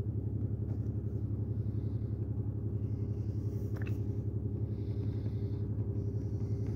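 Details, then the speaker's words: 2008 Pontiac Grand Prix 3.8L V6, 148k miles, check engine light: very rough, lumpy idle with regular stumble; P0300, misfires counting on cylinders 5 and 2, which share a coil pack; no spark off cylinder 5, coil pack suspected. "miles very rough idle I don't know if you can hear that got serious misfire so let's see what we got"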